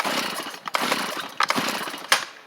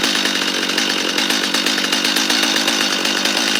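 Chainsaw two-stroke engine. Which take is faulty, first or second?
first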